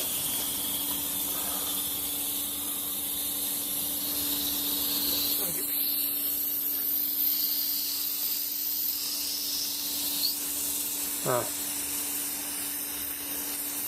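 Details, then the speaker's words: Daikin packaged air-conditioning unit, oily pipework on the high side: a steady high-pitched hiss, a suspected refrigerant gas leak; a pipe was then found come off the reversing valve. "and also down here it does look a bit oily uh through there I wonder if we got a gas Le that's on the high side I can hear that I can hear"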